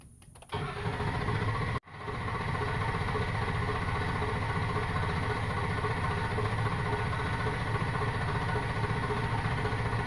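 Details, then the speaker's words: 2004 Ford F-250 diesel, high-pressure oil pump replaced in December 2017, crank no start: steady starter churn about four beats a second, never catches; not building high oil (injection) pressure. "so I have a crank no start I replaced high oil pressure pump in December 2017 haven't had any issues until yesterday so this is what I got"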